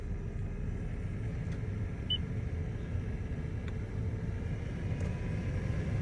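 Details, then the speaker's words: 2016 Toyota Sienna LE with newly replaced A/C blower motor assembly, engine running: steady even rush of air on high speed with no rattle or squeal; the blower works fine. "that's a high speed now. Okay. So, as you can see right now, it's working fine."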